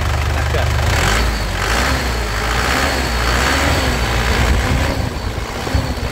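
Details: Isuzu Panther LS Turbo diesel, late 2007, about 103,000 km: steady low rumble at idle swelling cleanly when revved and settling back evenly, no knocks, misses or smoke; engine judged truly healthy. Normal idle and revving.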